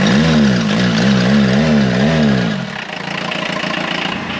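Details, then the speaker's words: 1984 VW Rabbit Mk1 diesel, parked 26 years, revived: a few wavering blips, then a steady diesel clatter at idle with no smoke, and the battery light goes off as it starts charging. Normal running. "this thing is running awesome [Music] no smoke or anything"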